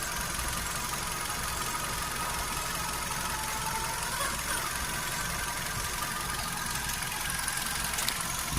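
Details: Hyundai HB20 at steady idle: a thin, high-pitched whine and a faint light tick over the engine hum. Owner suspects the timing belt, power steering fluid or a bearing; the cause is not confirmed.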